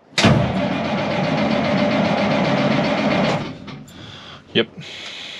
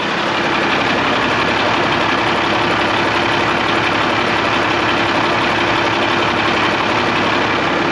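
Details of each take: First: 1986 International S-series dump truck, L10 Cummins diesel, 12 V system: starter cranks steadily about three seconds without catching, then stops; fuel shutoff solenoid not opening (intermittent), runs only with thumb-screw override. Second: 1986 International dump truck, L10 Cummins diesel, key on, override thumb screw backed out: steady even diesel clatter at idle over eight seconds, engine stays running; owner suspects voltage delivery problem rather than the fuel shutoff solenoid itself.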